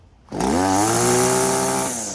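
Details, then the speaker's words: String trimmer that had flooded, unflooded by pulling with throttle held down and no choke: catches on the pull, revs quickly to a smooth even buzz then settles, starting easily and running clean. "So my friends, that is how you can successfully unflood your small engine."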